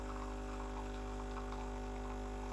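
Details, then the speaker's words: Breville Barista Express BES870, used, freshly serviced, pulling an espresso shot: loud even buzzing drone at steady pitch for 20 seconds, gauge about 12 o'clock pressure, no stutter or surging; pump operating normally. "and that's 20 seconds so we've got 20 seconds about 12 o'clock pressure which is very good"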